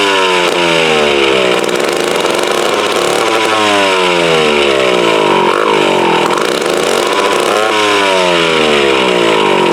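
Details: Mid-1950s Strunk Speed Demon chainsaw (likely the Pro, 24" bar), bar and chain off, sat unrun since the early 70s. Old two-stroke speed wanders, surging and sagging unevenly. Carburettor needs a rebuild kit, tank needs cleaning, ignition good.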